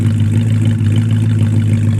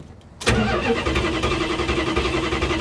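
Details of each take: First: 1973 Plymouth Scamp flood car, idling after its first start at the salvage auction: a deep, steady rumble with no knocks or ticks, smooth and even throughout. A healthy idle that sounds nice. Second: 1973 Plymouth Scamp flood car with automatic transmission and four-barrel carburetor, first start at the salvage auction: the starter churns at a steady, fairly quick rhythm for about six seconds without catching, a long hard crank on a reluctant engine.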